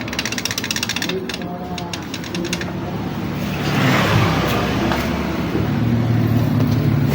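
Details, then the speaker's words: Honda Beat scooter, center stand unserviced for 8 years, rusted and sticking from water exposure: engine running with a loose, uneven metallic chatter about four beats a second from the worn, loose center stand pivot shaft rattling; shaft should be replaced. "Jadi ini adalah bunyi yang suka lebih merinding ini disebabkan dari ini nih Dengerin Nah kalau lagi jalan berisik itu dari sininya ini"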